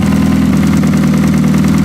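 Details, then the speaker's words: Ford Fusion derby car, push-button starter bypass and oil filter delete, running again: steady even low rumble with no knocks, misses or surges; engine idling smoothly. "and uh the Fusion's running again so we'll see you back here tomorrow"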